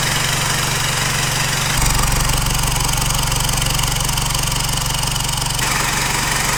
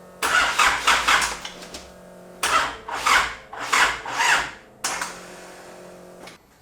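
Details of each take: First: 4JJ1 diesel swapped into a Nissan Patrol, first start after an aluminium intercooler pipe extension with the sensor fitted at its end, settles into a firm, regular idle with a slight step in speed partway and no knock or miss; it sounds healthy. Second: Isuzu 4JJ1 diesel swapped into a Nissan Patrol, first start attempt: slow, labouring cranking in short bursts, turns over but never fires; starter motor getting very hot while leads stay cool, so owner suspects faulty starter.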